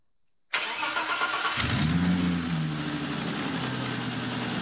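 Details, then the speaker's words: BMW E30 325i Touring after new engine and fuel-supply parts: short crank, catches within about a second and settles to an even idle; starts much better, though a large leak was seen at the throttle body. "it's definitely starting much better now but I'm sure you've just seen the large lead coming from the throttle body that is not meant to happen"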